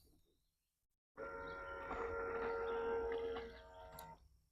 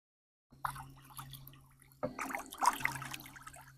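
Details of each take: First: Decoy Doctor out-of-the-box water pump on a timer, 4 seconds on and 10 seconds off: steady mid-pitched whirring whine when it kicks on, louder than the quieter DIY pump; noisy pump. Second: Decoy Doctor DIY water-agitator pump deployed in water, running 4 seconds on, 10 seconds off: soft, low steady motor hum under bubbling and splashing; pump running quietly and normally.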